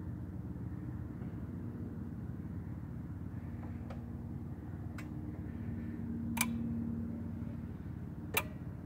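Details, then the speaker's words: 2013 VW CC 2.0L turbo with code P0341 (camshaft position sensor), new sensor fitted, ignition switched off: a low hum with single sharp relay clicks spaced a second or two apart as power drops out; normal shutdown behaviour. "I'm gonna shut the car off and you're gonna hear these little clicking sounds it should sound like this the way it's supposed to"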